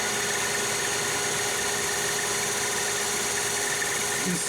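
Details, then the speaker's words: Lathe turning heat-treated CrMo 4140 steel at the highest speed used, after a rough finish at 440 RPM: steady, even cutting hiss with a constant ring and no chatter or squeal. Chips and finish much improved, like aluminum; normal cutting. "immediately the Improvement in chips and the Improvement in finish it looks like we're cutting aluminum"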